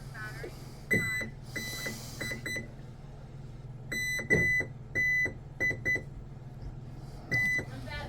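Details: MHZ 57" Bulgarian catamaran on its first bench test: TP Power 5670 785kv motors, Hobbywing Seaking 300A ESCs on 12S. Short, clean high beeps in irregular groups over a low bench hum as the ESCs arm normally.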